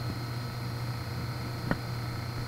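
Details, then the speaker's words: BMW X5 DMTL (fuel tank leak-check) pump, triggered through ISTA component activation: quiet, steady electric hum with a faint high whine holding even throughout; the pump is running normally. "and i hope you guys can hear that but it is definitely running right now"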